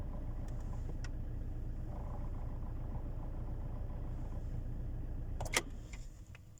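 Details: Alfa Romeo 159 1.9 JTDm 150 hp, idling with the clutch released: low, uneven rattling drone from the gearbox that drops away after a click near the end.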